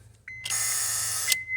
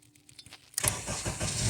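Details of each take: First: 2008 Honda CR-V with intermittent no-start, starter already replaced elsewhere: with the key turned to start, a steady high electrical buzz for about a second with no cranking; starter relay buzzing, no crank. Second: 2008 Honda CR-V with intermittent hesitant start or no-start, starter already replaced by another shop without change; during starter-circuit voltage-drop testing, a few clicks, then brisk cranking and a steady idle; normal crank and start.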